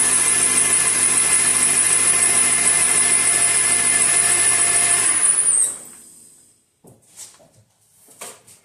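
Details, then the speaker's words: 2005 Honda Accord, whine worse on cold mornings when steering is turned: a thin, steady high power steering pump whine for five seconds, from air bubbles in the reservoir. "the stirring as you turn it makes this whiny noise and so I'm going to turn it on in a little bit so you guys can hear it."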